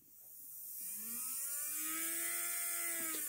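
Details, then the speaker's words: Hornby J15 model locomotive motor run on its own with worm gear removed, after an hour's running in both directions made it noisier: thin high buzzing whine rising in pitch; the motor itself is noisy, not the gears. "it's a noisy motor. It's got nothing to do with the gears."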